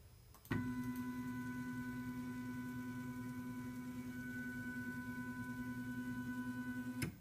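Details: 3D printer with Carl's aluminum carriage on stock bushings, baseline run before swapping to linear ball bearings, meter reading about 66–72 dB; steady even motor hum with a smooth tone through the whole travel, no rattle or grinding; carriage runs normally.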